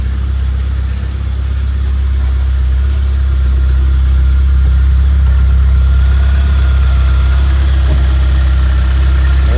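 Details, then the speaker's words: 1991 Vauxhall Nova GSi four-cylinder, cold start after being off the road since 2005, now warmed up: steady, even idle with a smooth low throb and no knocks or misses; running slightly low on fuel, a little smoky. "we go oh sounding good guys sounding good"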